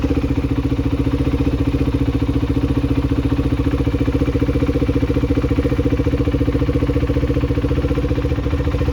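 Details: 2021 KTM Duke 390 single-cylinder, a recovered stolen bike, first run after the ignition was replaced and without changing the old fuel: quick, even thumping idle holding a steady beat with no knocks or stumbles; clean, healthy idle.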